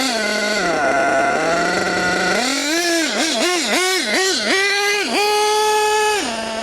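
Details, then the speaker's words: HPI Savage GT6 nitro RC car with F4.6 engine, idle lowered: screams through quick throttle blips but revs never climb hard, sluggish acceleration; owner suspects the clutch and slipper are not working well. "See, it hasn't got the acceleration. I think should be a lot more peppy than that. I don't think that clutch is working very well."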